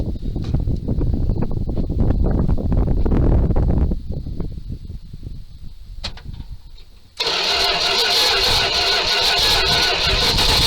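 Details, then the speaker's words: 1978 Dodge D200 crew cab, 318 V8, abandoned 17 years. Start on gas plus ether: long uneven cranking with sharp pops, then it catches and runs loud and ragged, backfiring. Owner unsure whether timing is off or carb work is needed. "Well, I think she could use a little bit of carb work. Well, she's gonna run, but she's backfiring like crazy"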